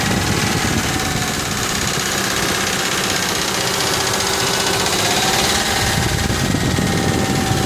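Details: Ford F150 4.6 two-valve V8 idling: fast, busy metallic rattle-knock, steady without throttle change; lash adjusters and followers sounded fine with valve cover off, timing chains just done; owner now suspects rod bearings.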